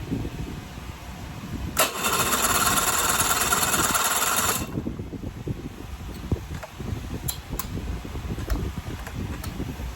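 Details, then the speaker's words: Restored 18 HP Evinrude outboard: about three seconds of rapid, even cranking with no firing, then quiet. The magneto points were cleaned and set and there is spark on both sides, yet it won't start; the owner suspects the magneto. "Will not start. And I'll tell you, I've spent all morning on this thing now. That magneto has just got a problem."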